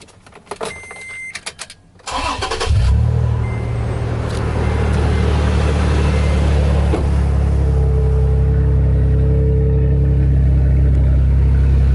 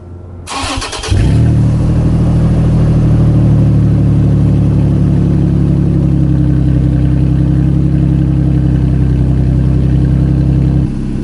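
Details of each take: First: Second-gen Toyota Tacoma after exhaust leak and rattle repair with spacers ground to fit; engine cranks, catches and settles into a steady deep idle with no puffing or ticking; no exhaust leak heard, repair sealed, not yet warmed up. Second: 2nd-gen Toyota Tacoma exhaust completely unbolted at a disconnected joint ahead of the muffler: quick start, then a loud, deep, throaty idle with strong low drone; open exhaust leak.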